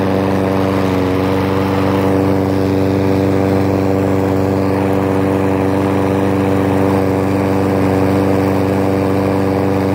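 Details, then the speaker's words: Mower after carb cleaning (water found in fuel), pull-started with no choke and no primer: constant smooth drone at steady speed, no surging or misfires after initial surge; running evenly. "well I just saw there it runs smoother than everything has that surging in the beginning"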